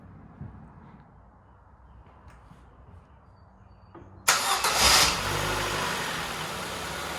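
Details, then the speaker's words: 2010 Ford Fiesta salvage car with crash damage, started briefly with no air box or radiator fitted. It catches at once and settles into a steady, even idle with no misses. "sounds sweet as an art nothing wrong with that at all yeah lovely mate"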